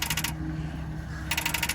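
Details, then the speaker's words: 2007 Nissan Murano at auction, key turned: rapid machine-gun clicking about fifteen a second in short bursts with no cranking; starter not engaging, won't start. "Don't think she's going to start up. All she's going to do is click."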